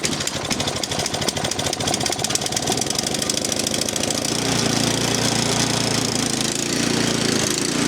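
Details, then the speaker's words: 13-year-old MTD Yard Machine snow blower, Powermore 208cc engine, carburetor replaced last year, leaking oil and fuel; cold start on full choke, about half throttle: rough uneven popping, speed wandering up and down, steaming and smelly exhaust; engine hunting, cause unknown. "So, she's running, but I have no idea. She's still searching."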